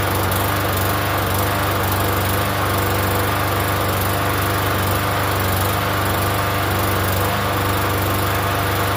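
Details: Free Yard Machines 21-inch self-propelled mower, primer-style engine about 10 years old, unused for over a year, first start: steady even single-cylinder buzz at constant speed, no misses or knocks; runs fine.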